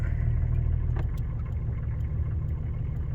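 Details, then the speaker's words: 1985 Cadillac Sedan DeVille 4.3L V6 diesel idling right after cold start, started via momentary glow plug switch with controller unhooked: steady, smooth low rumble with no knocks or misses; healthy. "so the original way to start is the the glow plug controller isn't hooked up so it just has a momentary switch under here so it starts right up"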